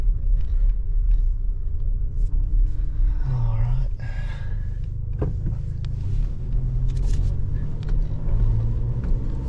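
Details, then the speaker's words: 2023 Toyota Tacoma SR 4x4 with the four-cylinder engine at 1,801 miles, idling early in the morning while still dark. A low, even rumble settles into a steady idle with no knocks or misses. This is a normal, healthy idle. "I'll let you guys uh hear what it sounds like here in the morning early morning hours while it's still dark"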